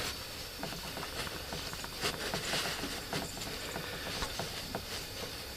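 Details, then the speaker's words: Honda ATC200S non-starting engine during a cylinder leakdown test at TDC: a steady soft air hiss of normal ring blow-by; covering the exhaust and carb gives no change, so the valves seal. The real fault was ignition timing 180° out. "is really here no change in sound and if i cover up the card same thing listen so my valves are are closing"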